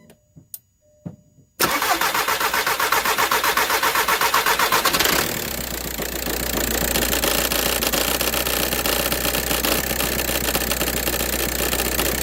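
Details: 2004 VW Jetta TDI diesel, morning no-start that only starts with WD-40: quiet, then about 3.5 s of steady starter churning before the diesel catches and settles; cold hard start.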